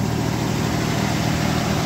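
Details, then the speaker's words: 1989 V6 Mitsubishi Pajero, first cold start after three days sitting, after stainless extractors and new exhaust studs replaced leaking manifold: steady even idle, deep smooth exhaust note, no puffing or ticking; exhaust leak fixed. "damn cold good job brass no more exhaust leak how good is that"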